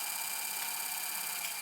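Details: Newly built first gaming PC with an RTX 5070 Ti at first power-on; a harsh, steady high hiss with a scraping rasp. A fan is grinding, suspected to be a blade rubbing against something loose in the case, not confirmed.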